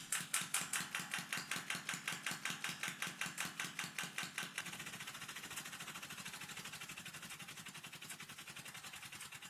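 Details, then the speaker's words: Small air engine run on water-tank pressure (about 0.4 bar): sharp, regular clatter of a few clicks a second, caused by huge crankshaft play letting the piston shift when unsupported by the cylinder; later fixed with a small shim. "J'ai alors réalisé que ce bruit de cliquetis que vous entendez était en fait dû à un énorme jeu dans le vilebrequin, ce qui, je pense, décale le piston lorsqu'il n'est pas soutenu par le cylindre."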